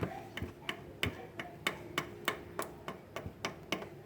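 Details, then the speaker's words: Honda Fan 160 motorcycle: slack chain slapping the swingarm, sharp slightly uneven light ticks about 1.5 per second where the rubber chain guard is worn; heard before a homemade rubber fix. "E aí, galera, beleza? Hoje eu vou mostrar pra vocês como tá resolvendo o barulho da corrente batendo aqui."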